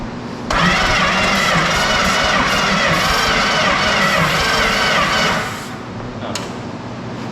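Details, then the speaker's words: Engine in a 1970 Dodge Charger racecar (a 383 is mentioned), in neutral and cranked steadily for about five seconds with even compression pulses but never firing; spark is weak and inconsistent, and sticking points are suspected. Crank, no start. "It didn't do anything. Do we have spark? Yeah, it's not consistent. It's like the points are sticking."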